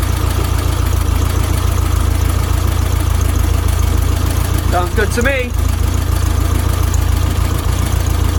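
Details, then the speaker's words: 1972 VW Beetle 1200 air-cooled engine at start-up after valve timing/clearance recheck, before oil change: steady even chuffing idle about four pulses a second, no knocks or rattles, sounding much better; oil pressure light goes out, no leaks. "wow it's already here just how much better it sounds"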